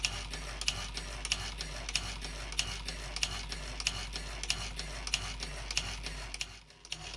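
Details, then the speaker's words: Scratch-built Grasshopper half-beam model steam engine, built from bar stock with a purchased cast iron flywheel, 60-tooth module 1 home-cut gears possibly slightly out of concentric, driving a dynamo: light even ticks about every two-thirds second over soft air hiss; still runs okay. "So it was my first foray into gear cutting, and you can hear there's a little bit of, there must be very slightly out of concentric, but it still runs okay."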